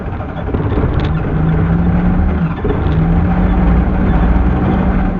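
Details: Carbureted 2003 Suzuki Alto/Mehran, hard start and not warmed up: engine revved hard and wavering with a brief sag, struggling to stay running and repeatedly stalling.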